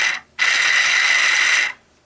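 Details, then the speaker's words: Minn Kota GPS saltwater trolling motor turning housing motor, third in three years, run on the bench in reverse: harsh gritty ratcheting noise from corroded gears grinding; motor on its last legs. "Now it's going the opposite way. See there? You hear it? It's grinding like crazy. This motor is on its last legs"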